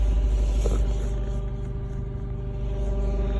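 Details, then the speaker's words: Lexus GS F: loud, constant low buzzing/humming drones from under the driver's seat, also heard on passenger side and rear seats, appearing randomly; source unknown. "I am getting a loud buzzing noise once again. You can hear it. It's right under the driver's seat this time."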